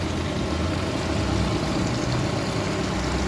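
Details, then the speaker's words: Honda 50 hp carbureted outboard, 2006 model, nearly 20 years old, idling after replacing aftermarket spark plugs; quiet, even idle, soft steady beat, no shaking, hunting or stumbling. Water discharge, previously almost none, now flows well. "Şu an gayet silkintisiz, hoş, güzel bence. sessiz."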